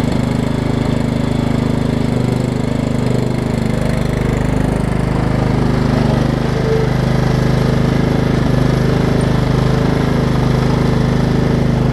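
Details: Over-20-year-old Craftsman riding mower, Kohler Command engine, on a test cycle after the wrongly fitted deck belt that locked the engine was refitted: steady, even chug with no knocking or belt squeal, running clean under no load; normal running.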